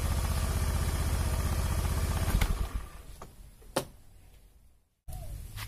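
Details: Honda Beat FI single-cylinder after the battery was replaced, which had shown hunting idle and stalling on throttle. A steady, even idle pulse at about four beats a second, then it is switched off cleanly; it runs smoothly.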